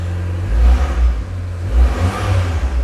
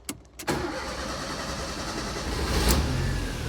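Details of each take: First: Abarth that another garage couldn't fix, injectors and spark plugs already replaced; cold engine with deep lumpy throb stumbling and surging irregularly, misfire only when cold; intermittent cold-start misfire. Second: Fiat Punto GT after rebuild; catches quickly and settles into a steady, even idle with no misfire or hunting, after earlier lumpiness was cured by refitting the airflow meter the right way round; fuel rail repair leaking again.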